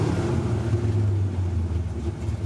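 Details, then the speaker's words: 1974 Corvette V8 that sputtered at the drag strip: a deep rumble that sags and wavers as the oil pressure gauge drops at warm restart, though the oil level is full. "so guys that hesitation is probably the engine locking up uh then again maybe the gauge is just acting up"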